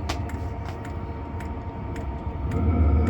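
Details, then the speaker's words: Narrowboat diesel heater possibly on lowest setting, boat very hot: sharp regular ticks three or four a second over low rumble; annoying tapping fuel dosing pump, owner considering a soundproof box. "just that tapping pump that's annoying I'm thinking about pulling it in a soundproof box or"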